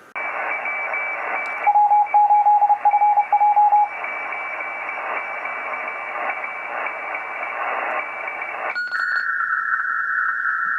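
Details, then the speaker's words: Kenwood TS-950S HF transceiver, previously deaf receiver, after RF-to-IF board (CN7) troubleshooting and reassembly: steady speaker hiss with a clean, sharply keyed narrow CW Morse signal on 20 m; receiving normally. "That was a narrow little CW on 20 m."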